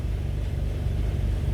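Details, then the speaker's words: 2010 Honda CR-V, P0171 lean bank 1, closed loop, before repair: low idle with a slightly uneven, wavering beat; fuel trim about 46–49% shows a massive air leak. "you can see the full trim is around which means there is a massive air leak there is a massive air leak"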